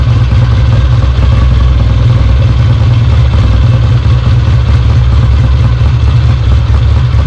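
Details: Kawasaki W1 twin on first start after rebuild, carburettor idle and mixture unadjusted, no tank fitted: loud, steady low thump with busy mechanical clatter on top. Runs evenly and oil comes from the lines, so the oil pump is working.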